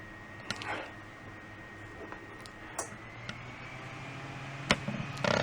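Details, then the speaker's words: Fan on a backup power unit with a 13.5 V external battery, on line power with output about 121-122 V: an even hum rises in pitch as the fan spins up to full speed, running smoothly and normally. "Okay, power line is on. We can see the fan spinning up a storm."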